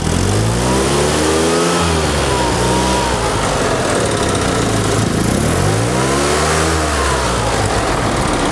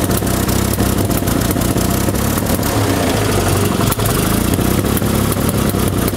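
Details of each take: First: 1974 Fiat 500 small engine after ignition timing was set to 7.5° before TDC: two clean blips, each climbing smoothly and dropping back to idle with no stumble or misfire; normal revving. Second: 1974 Fiat 500 engine, before repair: loud uneven beat with stumbles and popping, firing never settling into a steady rhythm; rough running (ruckelt, knallt) from misadjusted ignition points and wrong spark plugs, with a loose distributor cap.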